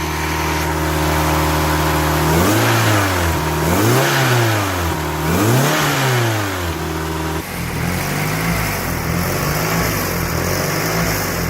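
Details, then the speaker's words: Mitsubishi 4G63T in an Eclipse, after a misfire was traced to a damaged No. 3 spark plug and fresh plugs, coolant and a new fuel system were fitted: a smooth idle and clean, even throttle blips with no stumble; it sounds much better. "Wow well it sounds a lot better guys"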